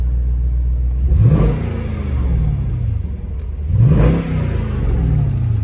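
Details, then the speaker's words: SRT8 V8 at a salvage auction with 143,000 miles, rear bumper damage and no check engine light; two crisp throttle blips rise and fall smoothly with no misses or knocks. Healthy revving. "It sounds decent. Ain't too bad, ain't too bad."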